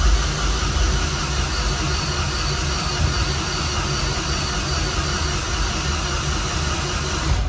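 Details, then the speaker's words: Nissan MR16 engine built for 10k RPM, low compression and cam overlap; priming with fuel shut off and throttle held wide open; steady even starter churning, no firing; no RPM signal, traced to cam sensor; normal dry cranking. "I'm going to hold the throttle wide open we shut the fuel off we'll crank it over"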